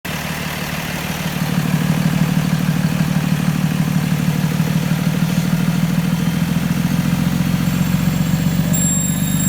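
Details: 2013 Freightliner, Cummins ISB 6.7L diesel, not in regen: idle rises by itself from 800 to about 1000 rpm, then a steady piercing high-pitched whistle over the engine; owner suspects turbo or air leak.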